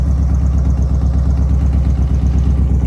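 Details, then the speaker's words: Harley Street Glide V-twin setting off on its first ride of the season after spark-plug indexing work: a deep, loping, even idle with no tapping or knocking. It sounds healthy and normal. "All right, here we go. First Street Glide ride of the season. She sounds awesome."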